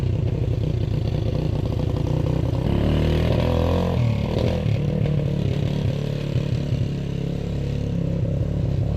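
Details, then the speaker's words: 1991 EZGO golf cart with swapped-in four-wheeler engine and drivetrain, first drive: uneven, stumbling engine that surges and clatters pulling away; running rough because the choke was accidentally left out. "It ran like crap. The video I took, you could probably hear that it wasn't running very well. And it was actually because I had the choke out and didn't realize it."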